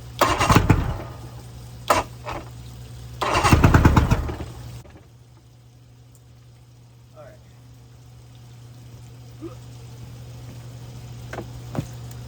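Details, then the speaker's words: 1999 Bayliner Capri with a 125 hp Mercury outboard on muffs: it catches with ragged bursts, revs briefly, then dies each time and won't stay running; owner suspects the carburetor and old spark plugs. "so there she is um she won't stay running i might put some field treatment in there let it sit on the carburetor and see if it dissolves or anything"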